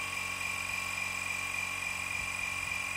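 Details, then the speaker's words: Air Lift Wireless One onboard compressor on a Ram 1500 with Ultimate 5000 rear air bags, filling the bags to 25 psi before cutting off: steady, even high-pitched whir without surging or knocking; normal compressor operation. "I'll let that cut off when it's at 25 I I guess okay so that's saying it's at uh 25 now"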